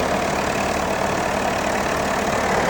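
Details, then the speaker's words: 2021 Jeep Wrangler Unlimited Sahara JL 2.0L on cold start: dense metallic rattle at idle that eventually goes away; timing chain tensioner rattle, both tensioners later replaced (5048577-AA, 5281548-AB). "Okay, every time I start the Jeep, it makes this noise. Just wondering if it's normal."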